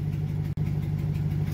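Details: 2009 Chevy Silverado (GMT900) V8 after the failed fuel control module was bypassed: steady, even low rumble with no stumbles or surging, normal idle.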